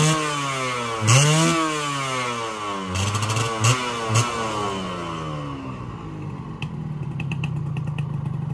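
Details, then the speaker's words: Yamaha 125Z two-stroke, first run after engine rebuild (damaged conrod addressed, magneto checked), stock exhaust: crisp buzz climbing and falling cleanly through several blips, no rumble as throttle closes; normal running. "Oke teman-teman, alhamdulillah bunyi yang ketika turun gas ya, war nggak ada ya, udah aman, udah enak motornya."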